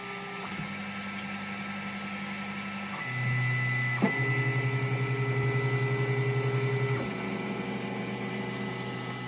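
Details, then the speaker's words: Polaroid PlaySmart 3D printer on the first layer of a reprinted job: stepper whirrs, then a steady pulsing click as the extruder skips because the bed has lost its level, sitting too close to the nozzle and low on the left. "there you go clearly the bed levels lost as you can hear the extruder clicking also look at that"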